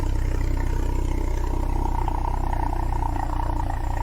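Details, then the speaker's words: Citroen BX at idle, exhaust full of diesel soot, complete new exhaust system planned: deep, booming drone heavy in the low end, louder than remembered, sounding like a tractor; loud exhaust drone, possibly leak or poor silencing. "That exhaust sounds louder than I remember. Ooh, I'm not sure I like that."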